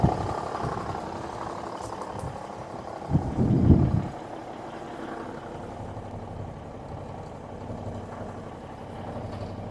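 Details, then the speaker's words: Semi truck parts donor, likely big cam Cummins diesel, restarted after priming the fuel system: low, steady idle lope with no knocks or rattles, about 40 psi oil pressure at idle; sounds healthy. "Like about 40 pounds of oil pressure at idle. It really doesn't sound too bad at all."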